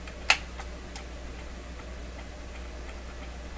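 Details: Clairtone console stereo record changer, motor turning platter, start piece manually kicked in during maintenance of intermediate wheel: one sharp click then light regular ticking about three times a second; changer cycling when it shouldn't.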